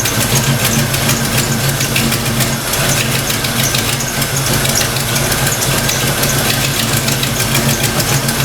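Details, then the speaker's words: Fox Mustang V8 after thermostat install and distributor/TFI reset: even, steady idle with no misfires, knocks or hunting, oil pressure steady, still slow to warm; normal idle. "Wow. Look at that. Just purring. Nice."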